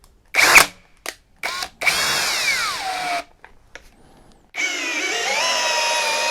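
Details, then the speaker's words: Teccpo brushless impact drill (60 Nm TDHD02P vs 70 Nm BDH 360B comparison) in speed 2, driving a screw into wood: the whine cuts out several times, then restarts at a lower, sagging pitch as the drill turns slowly. Cause suspected, not confirmed. "mais nous le vérifierons plus tard, en vitesse deux vous avez vu qu'il s'est arrêté plusieurs fois"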